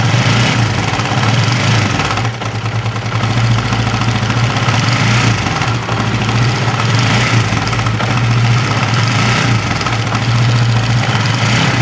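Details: Honda CB150R at idle: steady idle with a coarse, gravelly rattle from the upper left of the engine; mechanic suspects a loose cam chain, not confirmed.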